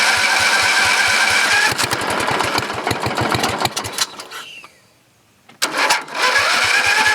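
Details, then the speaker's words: Briggs & Stratton 14.5HP OHV single-cylinder riding mower engine, started after years unused and a new coil: a fast beat with a harsh rubbing clatter, cutting out and restarting. The noise is internal and persists with the flywheel cover off. "well guys it's running somebody from pretty Givet is making an awful noise on the water what it is exactly sound like something rubbing somewhere"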